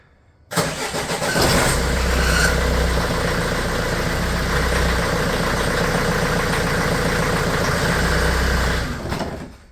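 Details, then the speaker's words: Renault Trafic/Vauxhall Vivaro diesel van, first start after clutch, brake and gearbox work: cranks, catches and settles to idle with a brief thin squeak from the power steering pump, run dry of fluid before bleeding. "You can hear a bit of a squeak, that's the power steering, just because the fluid's out of it."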